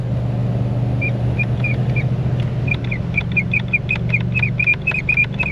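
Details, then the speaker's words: Rear blower with temperature set to full hot: steady fan hum with a repeating high chirp, about two or three a second, coming and going, and no airflow from the rear; abnormal HVAC noise. "That doesn't sound right."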